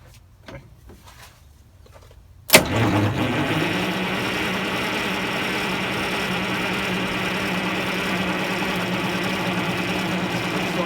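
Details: 74-year-old Greyhound bus diesel during fuel-system work, with a helper holding the fuel while cranking: after quiet, the starter cranks at about four turns a second without catching. Crank, no start; an airlock in the fuel is suspected, not confirmed.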